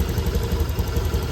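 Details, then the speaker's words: Honda Scoopy/Beat FI scooter after DIY home service and ECU reset at the throttle body socket and near the battery, previously stuttering badly: even, smooth low putter with steady beat and no misses; normal idle, no leaks. "Oke, ini bunyi langsamnya, Teman-teman. Dan tidak ada kendala apa-apa bocoran maupun rembesan di bagian ee kita servis tadi, Teman-teman."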